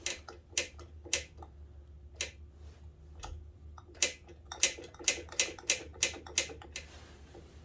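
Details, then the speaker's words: 85 (possibly 84) Suzuki LT125 turned over slowly by hand: sharp, uneven clicks over quiet background right after compression, only rotating forward; good compression; owner suspects valve or valve train, not confirmed. "It's right after compression it does it, like it's valve noise almost. Valve or valve train."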